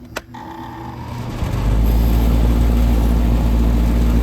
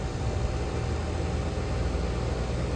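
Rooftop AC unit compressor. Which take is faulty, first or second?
first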